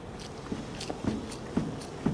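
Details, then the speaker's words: Mercedes of this era, on a ramp: dull knocks about twice a second as the wheel is rocked left and right; worn ball joint in the suspension arm (spring link), full arm replacement needed. "This is the joint, and it's this ball joint here that fails, playing the wheel left and right."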